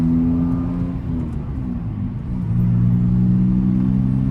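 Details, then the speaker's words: BMW E46 on a road drive with a window cracked, after a camber adjustment and an earlier clanking complaint: the engine pulls smoothly through the revs with no clunk or rattle from the suspension; the clanking is gone and the suspension is normal. "You can hear it's no longer making that clanking sound."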